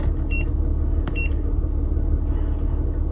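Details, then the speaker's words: 2009 Toyota RAV4 3.5 V6 (2GR-FE) petrol after replacing ignition coil #2 for code P0352 misfire and rough idle. It now idles smoothly with a steady low rumble; scan-tool beeps follow while the codes are erased. "so... guys... the rough idle is now removed"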